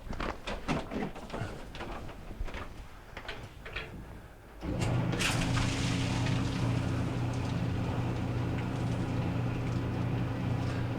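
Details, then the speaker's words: Maytag LDE4914ACL dryer after replacing the drum support wheel for a grinding and scraping complaint: after handling knocks it starts and settles into an even low rumble and steady hum, no scraping, running normally. "and we're not getting scraping noise anymore so that's going to complete the repair"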